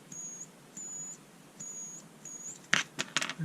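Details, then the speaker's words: Bosch Ixo cordless screwdriver that wouldn't run, under repair: short high-pitched squeals in bursts about a second apart with clicks after and no spin; motor stalled, unclear whether the motor or the circuit board is at fault. "back to the squeak so is it the motor or is it the circuit Bond get out the way well the motor is definitely not moving"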